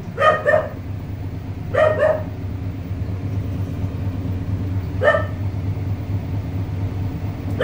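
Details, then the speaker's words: Panasonic automatic washing machine after inverter board repair for H12 and U12 errors: smooth steady low hum of the drum spinning evenly, dog barking nearby; normal spin, both errors fixed. "so yan Okay na nagspin na siya problem solve dalawang error h12 at saka u12"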